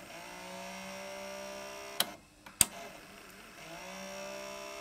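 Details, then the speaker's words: Sony PCM-2500A DAT recorder, play/fast wind pressed: thin, steady motor whine with a few sharp clicks but hardly any reel drive; motors spin while reels slip; worn clutches suspected, not confirmed. "see there's a tiny tiny bit of real drive but hardly any uh it sounds like the motors are spinning but probably it's got um worn out clutches"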